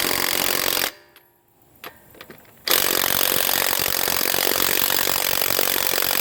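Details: HANS 1/2-inch cordless impact wrench from eBay on a car wheel lug nut, battery said to be full: quick even hammering rattle after a short pause, soft and labouring; weak under load, still weak after full recharge, possibly defective.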